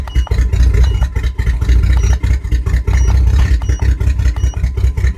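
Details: 1997 GMC Jimmy at idle: uneven loping low idle with periodic dips and stumbles in the exhaust beat, sounding like a cylinder missing; misfire, cause not yet known.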